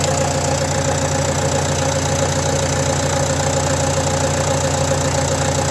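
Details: Renault Trafic 2 phase 2, 2.0 dCi M9R 780 diesel, cold idle after replacing a failed PCV valve (fault: lack of power, high fuel use): even, steady clatter with a regular beat, no misfire or stumble; runs much better.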